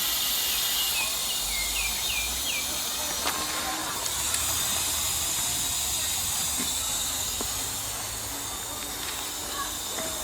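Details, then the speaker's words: Two-ton air conditioning unit with no cooling, system empty, charged with dry nitrogen to find leak: steady high hiss of gas escaping, no motor running; leak at blown compressor seal, burnt refrigerant smell. "sounds like it's leaking right here [Applause] blow the compressor blow right there you can hear it see on the compressor blue"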